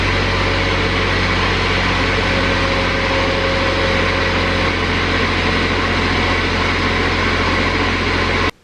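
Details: Exmark XS diesel 60-inch zero-turn mower after replacing the fuel solenoid, glow plugs 15 seconds; steady even diesel clatter with smooth constant drone, no stumbling or misses; normal running.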